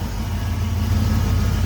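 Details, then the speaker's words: 1992 Ford F-150 petrol V8 restarted after engine power washing: steady even low rumble at idle with no misses, knocks or ticks; runs fine, check engine light was already on before. "so let's start it see if everything starts fine check engine light was on before so I don't think that's a problem [Music] seems to be running fine"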